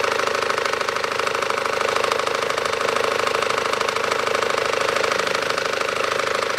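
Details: 2012 SsangYong Actyon 2.0 diesel, manual, 4WD, 77,000 km, idling with AC compressor on: steady sharp tapping about twice a second from the lower front belt drive; owner unsure whether shoe or tensioner.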